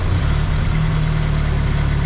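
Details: A-registration Vauxhall Nova 1.6 injection that ran badly, coolant temperature sensor signal altered with resistance to fake a reading: steady even idle whose low note shifts as the engine reacts to the false temperature.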